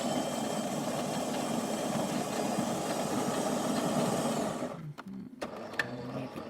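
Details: Jura Impressa F7 espresso machine after tune-up for error 8 (stuck infuser, relubricated, deep cleaned), brewing espresso shot: even steady pump buzz about four and a half seconds, cuts off cleanly without straining; normal pump operation.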